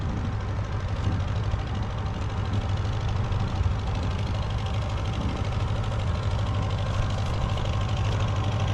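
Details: Massey Harris 30 tractor after the oil was burned out of its cylinders: steady even low idle with no skips or misses; running well, though the fuel sediment bowl is leaking gas.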